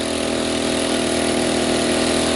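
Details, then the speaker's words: Sportsman 800 W (1000 W surge) inverter generator strained at its maximum load with a coffee pot plugged in and the overload light blinking, a steady high drone until overload protection trips and shuts it down; it restarts after a couple of pulls. "so it hasn't kicked yet there it did that was it so the overload for Tech did its job like it's supposed to it overloaded it shut it down"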